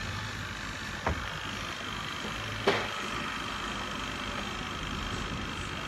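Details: Mabe twin-tub washing machine spin dryer after greasing to cure squeal on spin: steady even hum and faint whir, no squeal, two light clicks; normal quiet spin.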